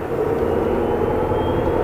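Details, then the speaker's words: Tesla Model X P90DL, firmware 8.0 (17.6.15), motor issues, hard acceleration from around 40: usual motor whine rising with speed plus a rough gritty grind underneath, sometimes worse like a machine gun; drive unit grinding, cause unconfirmed. "you can hear the grinding noise right it's a lot worse sometimes you can hear that you can the wine is what I'm used to but not the grinding"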